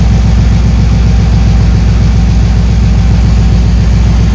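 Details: 1968 GMC V8 at idle after fresh oil change and added oil cooler to fix low oil pressure and high oil temps: deep, steady burble with even pulse, no knocks or ticks; idles normally.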